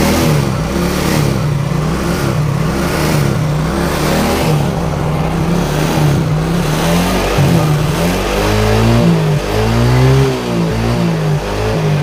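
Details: Yamaha Mio J fuel-injected scooter that came in completely dead with a flat battery, now recharged. It starts and takes repeated throttle blips, with revs rising and falling cleanly and no misses: running normally.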